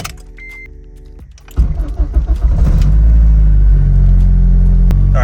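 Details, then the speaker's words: Acura RSX with high-idle problem, after fixing vacuum leaks and the brake booster hose and check valve: cold start, dash chime, brief crank, then a steady even cold idle staying under 1500 rpm, no flare to 2K; normal cold idle. "right it's idling normally it's cold right now so that stays under 1500 will be good if it drops down to a thousand one thing sub that'll be perfect"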